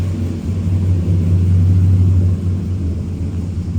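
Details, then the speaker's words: Chevy pickup after junkyard-parts Hydroboost conversion and power steering refill, engine idling while the wheel turns: steady low hum, no pump whine or groan; power steering smooth and healthy. "I'll just turn the wheel. Power steering is just buttery smooth. That is beautiful."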